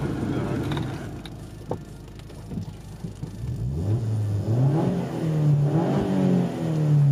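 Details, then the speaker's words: Vauxhall turbo petrol engine revved, recorded from outside the car on the camera's inbuilt mic: pitch climbs cleanly with each throttle blip and falls back smoothly with turbo flutter, no knocks or rattles; healthy engine. "Whoa, naughty. Nice bit of flutter. Fucking sick that, man."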